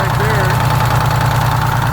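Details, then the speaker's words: GM PD4104 coach with Detroit 6-71 diesel, started from the rear starter after sitting for years: steady, even, deep idle drone with no knocks or misses; the old engine sounds good. "the old girl sounds good fortunately i got that old school starter so it's easy to start from back here"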